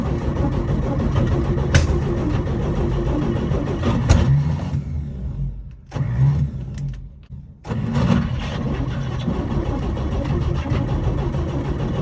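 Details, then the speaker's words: 1955 Chevy not running, choke held closed and starting fluid sprayed in: steady cranking with a couple of sharp single pops, never catches; sounds like a backfire, cause unclear. "well it sounded like it popped once but it sounded like it was also a backfire"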